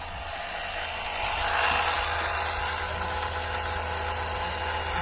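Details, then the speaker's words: Electric oil extractor pump sucking engine oil through the dipstick tube: steady pump hum that lifts and roughens partway as it starts drawing air and struggles with the last oil; pan nearly empty. "Alright, it's trying to suck the rest of the oil out. I can tell it's struggling to get the last bit of it out."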